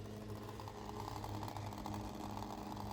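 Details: 1999 Saab 9-3 with B204E engine and Garrett T25 turbo: a steady low whir with a faint hum keeps running after switch-off, with high current draw of about 14 A. The draw went quiet once the AC control panel was pulled.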